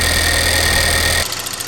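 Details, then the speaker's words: Alfa Romeo Giulietta Cloverleaf, first run after purchase: even idle with light, fast ticking from the loud high-pressure fuel pump, considered normal; brief ticking possibly from variable valve timing solenoids as the engine drops off. "The high-pressure fuel pump is loud."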